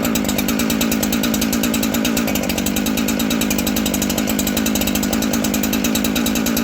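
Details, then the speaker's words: New Husqvarna 372XP chainsaw during carb tuning: two-stroke screams at high revs with buzzy crackle but climbs sluggishly; slow to spool up, further adjustment planned. "It seems like it's taking a little bit to spool up. I'm going to mess with it a little bit, see if I can get it to spool up a little quicker and keep the idle down or stable and keep the throttle response,"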